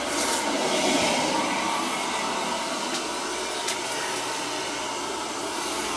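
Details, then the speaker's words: Boiler after a call about a continuously leaking relief valve flooding the basement, with an antifreeze system and a suspect expansion tank, now running the second zone, likely the purged one: steady even rushing, no banging. Everything is working as it should. "Yeah. This one, everything's working the way it should."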